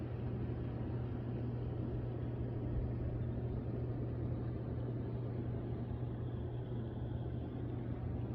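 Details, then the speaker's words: Hot tub jet pump on the previously dead side, rechecked after bad capacitor replaced and panels refitted: steady, even motor drone and constant water rush, no stalling or straining; running properly. "So let's try the ones that didn't work last time first. And you see they're working. This side."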